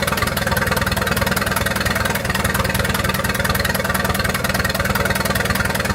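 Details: 1928 Farmall Regular tractor running after carburetor tweaking, timing advanced about halfway: an even, steady chuff at about three beats a second, with crisp regular firing and no misses or knocks. Healthy normal running.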